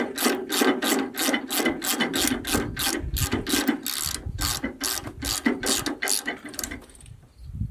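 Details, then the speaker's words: Wood-Mizer LX25 sawmill head-lift crank after tightening the friction brake handle: crisp, evenly spaced ratchet clicks, about three per second, as it's cranked up, with the pawl engaging cleanly. The brake now holds properly. "so I Crank It Up will it hold it worked that was the trick so now my friction brake is working just like it should"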